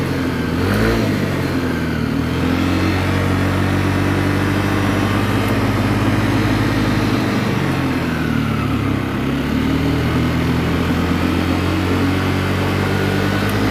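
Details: Yamaha Lexi 125 after a rebuild for oil starvation and a worn piston that had caused rough noise and smoke: a smooth, even hum rising and falling cleanly with the throttle, very different from before. Slight smoke remains from the oil-wet exhaust.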